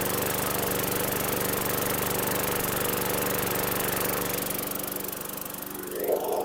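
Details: 2012 Weed Eater 22-inch push mower with a 140cc 550E series engine, a suspected Hurricane Milton flood victim, primed and started: runs steady and even at a constant pace, then dies away; runs cleanly with no misses.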